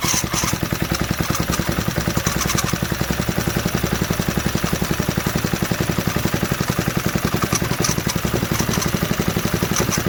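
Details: 1968 Briggs & Stratton 2.25 hp single-cylinder engine, first run after sitting for decades, unbolted on a workbench: a quick, even putter holding a steady speed with no knocks or misses; it runs healthy and smooth.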